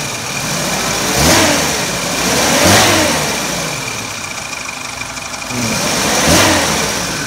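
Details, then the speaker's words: 2001 Suzuki Katana GX (SJ410) used car: three clean revs rise and fall smoothly over a steady idle, no knocks, rattles or misses; no odd noises, healthy engine. "Coba tak gas. Masih bagus. Tidak ada suara aneh-aneh."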